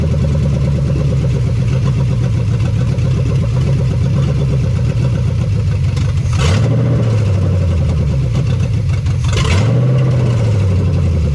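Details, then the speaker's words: 1975 Chevy Nova, stock engine, first start after sitting about 30–35 years; no fan or belt, water pump seized. Loud steady V8 idle sitting high from vacuum leaks, two clean throttle blips, no knocks or ticks; possibly a seized throttle cable. "And we have a bunch of vacuum leaks, so she wants to idle nice and high, but I know where those are. We got to get caps. But she runs. She runs. She runs really good too, not making any noise."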